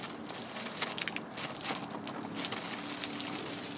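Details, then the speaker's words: Onboard water pump in a Land Cruiser water setup, shut-off valve opened with hose connected after tank fill, drawing suction; irregular wet crackling and spitting with no steady motor note before priming; pump sputtering on air while priming. "Now we reach up here to this little shut-off valve we installed, turn that up, and wait for it to draw suction. And it may be necessary to purge the air."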